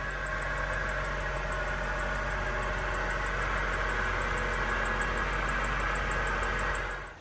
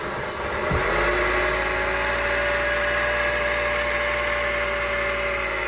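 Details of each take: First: 2003 Honda CR-V with the K24 engine at idle: a thin high chirp repeats several times a second, a squealing accessory belt that first appeared only when cold and is now constant; the water pump, tensioner and belt are being replaced. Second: 2003 Honda CR-V (K24) after replacing the water pump, accessory belt and tensioner, refilling coolant: smooth, steady idle with no belt squeal or chirp; normal idle.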